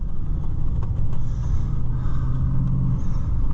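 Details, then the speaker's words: 2016 Ford Super Duty on the road after both front wheel bearings were replaced: only a faint, even tyre rumble from mild all-terrain tyres, no hum or growl rising with speed; the earlier bearing noise is gone. "Oh yes, it's gone. There is no sound at all, except for a very, very faint tire on the road sound. And that's the way it should be."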